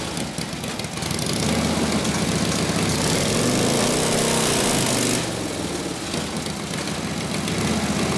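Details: 1936 Harley RL-frame bobber with later 1940s WL 45ci flathead V-twin, 1939-40 3-speed, after rebuild and points timing: loping twin-cylinder idle while warming up, smooth throttle blip settling back, no knocks; muffler sounds good, spits flame when revved; normal idle.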